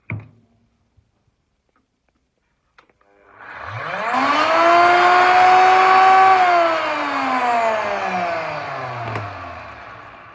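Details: Cardi T4 core drill motor spinning up with a rough, gravelly roar under its whine; owner suspected a bearing or gear; worn armature bearing.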